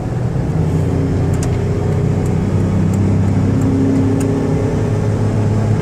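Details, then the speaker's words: 1999 Dodge Caravan LE wheelchair van, 80k miles, highway test drive accelerating toward about 67 mph: steady engine drone over road noise with transmission shifts, no knocks or slipping; engine and transmission sound healthy, normal acceleration and gear shifts. "I'm going to give it a little gas so you can hear the engine run and the transmission shift."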